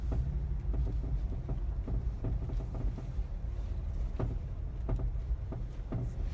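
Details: Mazda 3 BM makes dull, irregular knocks from underneath, about one or two a second, over low road rumble; heard only in cold weather since purchase; owner suspects the dealer-installed crankcase skid plate, not confirmed.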